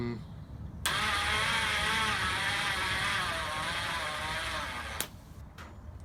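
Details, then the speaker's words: Half-rebuilt Hornet 99 engine cranked by powering the starter directly: strained, wavering whir for about four seconds with no firing, turning over sluggishly; owner suspects too-tight main bearings, weak battery or starter motor, unconfirmed. "I killed the battery already hmm maybe have let's try and crank it over some more so that star the matter is having issues turning the crank over maybe it's the starter motor"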